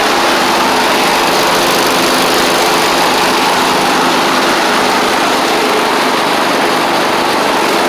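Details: Troy-Bilt Mustang Z46 zero-turn, Kohler 7000-series variant engine, after wiring repair, new ignition coils and tightened blades: steady buzzy high-pitched drone, no knocks or misses; runs fine once started, though it chokes on startup (owner suspects overly rich fuel pump).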